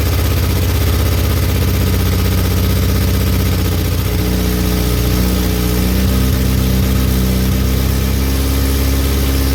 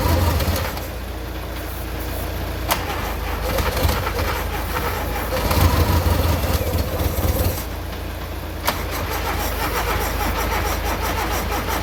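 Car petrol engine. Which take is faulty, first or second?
second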